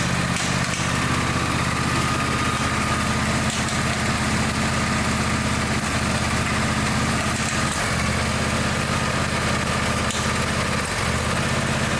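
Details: Engine with a broken-off spark plug: a steady drone with uneven metallic knocking. A spark plug piece is rattling in the cylinder and won't pass through; teardown planned.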